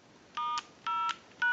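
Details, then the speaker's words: Bell South clear Lucite Trimline telephone after repair, in tone mode and dialing into a line analyzer: three clean, evenly spaced quarter-second DTMF beeps. It came in unable to dial in pulse or tone; now normal tone dialing. "we're in the tone mode and that's where we want to be because everyone's going to use this telephone in the tone mode since we have a setting from pulse two tone"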